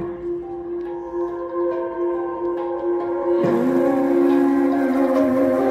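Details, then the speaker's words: Harman Kardon Aura 2 speaker playing music sounds harsh, fuzzy and crackling, worse as volume rises while bass stays good; the speaker is then opened for repair. "kedengaran Akak ya suaranya Tuh Gem resek gitu loh jadi ini enggak Bagus banget suaranya"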